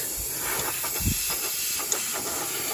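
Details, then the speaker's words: B16 turbo 1992–1995 Honda Civic (EG) intake system pressurized with air while the engine is off: steady high hiss of air escaping with a few faint pops from underneath the manifold, one of three small leaks; boost leak from a cracked intake manifold. "so that needs fixed so it's cracked underneath I can't show you but you can hear just doing this to the bottom of the manifold so we've got three little boo leaks"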